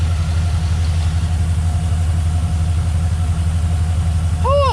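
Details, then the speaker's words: V8 truck after fixing cylinder four flooding rich, traced to the old fuel pressure regulator port at the cylinder four intake runner: deep, even idle with no stumbles, no misfires, now running on all eight cylinders. "all right team check it out thing of beauty no misfires we're running on all eight"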